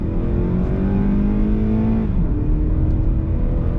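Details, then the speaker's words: Honda Accord Euro CU2 with a PLM downpipe, high-flow cat and Vibrant muffler to fix a buzz, under full throttle on the road: a smooth rising drone dropping at a gear change, with no rattle or buzz; the buzz is gone and the exhaust sounds normal. "So far just sounds like a Honda Accord Euro with a panel filter, which is exactly what we wanted. We want to keep this car feeling stock and quiet, and I could not ask for anything better than that."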